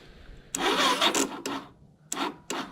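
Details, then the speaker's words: 1987 Suzuki Quadrunner LT230e after throttle and air filter replacement, gas turned on: several short rasping recoil pulls, each dying away with no firing; cranks but will not start, cause unconfirmed. "So let's try to pull it. We're not lucky. Not today."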